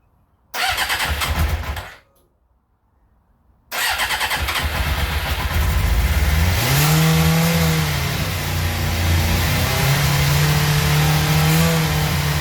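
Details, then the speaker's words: 1996 Suzuki GSX-R 750 SRAD, carbureted, mostly original, previously a no-start, fuel pump reconnected, started on choke with no throttle: it fires, dies, then restarts and climbs to a fast steady idle. Cause: idle adjuster set too high, then turned down. High idle speed. "As we can see, she started no bullet. The reason she was revving high was that I had found the adjuster for the idle. So I've just turned that down."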